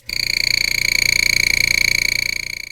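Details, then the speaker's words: Airbrush compressor about two years old: loud, steady high-pitched tooting buzz with fast flutter; badly worn, being replaced, cause not identified. "it's about time that i retired my old busted compressor that i've had for a couple years now actually was two years as of christmas and it's it's bad i'll let you hear what it sounds like"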